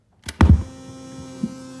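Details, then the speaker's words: NINM Lab It's OK Bluetooth cassette player with tape removed: clicks then a steady low motor hum continues without pulling tape; with tape, motor whirring and high-frequency buzz were heard. "turn it off take the tape out so here I would think that you might not hear as much because it's not actually pulling the tape let's give it a listen"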